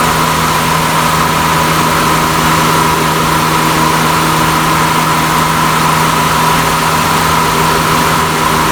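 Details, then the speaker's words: 2000 Honda Accord A/C compressor running after adding refrigerant by can through the quick-connect hose: the clutch was not engaging before, and it now comes on audibly with a steady mid-pitched hum and no clicking or cycling at idle. "Just turned it on back on. I could hear it come on."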